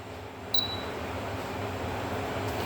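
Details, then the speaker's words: Air conditioner control board at power-on: a single short high beep right after power is applied confirms the SMPS supply (12 V relay, 5 V processor) is working normally; no beep would mean the unit is faulty. "il enerji verdiğimizde duymamız gereken bir ses var Eğer bu sesi duymazsak Cihazımız arızalıdır sesi duydunuz Bip sesi geldi şu bazlarının da çalıştığını smps deremiz çalıştığını bu şekilde anlıyoruz"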